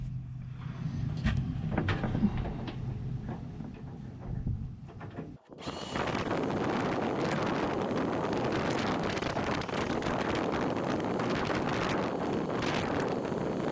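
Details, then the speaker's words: RV propane furnace (about 14,000-16,000 BTU) fitted in a tool trailer, firing after a disconnected ground bar was reconnected to the battery; quiet, then a steady, even blower rush with no sputter, warm exhaust and warm air output; normal operation. "Alright, so the exhaust out here is warm. I can hear the propane tank kind of whizzing away, whatever little bit of propane is left in it."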